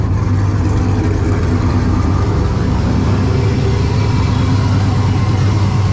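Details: Pontiac Ventura turbo LS V8 after upgrade to dual 340 LPH in-tank pumps with a Holley 19-350 kit, fuel pressure about 58–60 psi, vacuum connected: steady, deep idle with even low rumble, no stumble or misses; normal idle.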